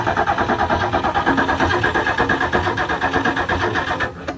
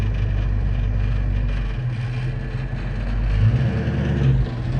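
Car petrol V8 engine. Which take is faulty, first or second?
first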